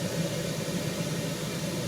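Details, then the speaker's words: 1974 HydroTherm gas-fired hydronic boiler, first heat-up of season with cold water, house at 61°F: steady low rushing roar with faint hiss, no knocks or bangs; normal expansion noise while heating. "thermostat upstairs said 61 so it's time you can hear some expansion going on as this goes and um everything is going just"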